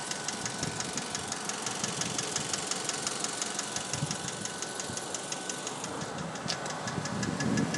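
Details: 2004 Mazda3 hatch sport, automatic: sharp regular tick about three per second over the petrol idle, passenger side, absent cold and appearing as the engine warms, louder in manual mode; sounds like valves, persists after a dealer timing-chain replacement, cause unknown.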